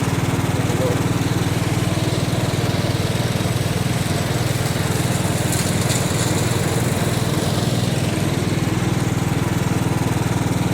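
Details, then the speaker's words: Mower while mowing: steady drone with rough growly undertone pulsing about four times a second; greasing didn't help, bearings trashed, owner suspects cracked spindle; worn deck spindle bearing. "i was just talking about how growly the bearings were too let's keep throwing grease at them i just stopped to put a little bit of grease in it but it ain't helping it is like trashed"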